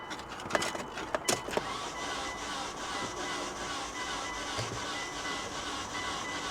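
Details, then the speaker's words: Auction car with 189,000 miles, automatic: the starter spins fast and even with no compression pulses and no firing. No compression; owner is sure the timing belt broke and suspects an interference engine. "Come on, old girl. She ain't gonna run. She's got no compression."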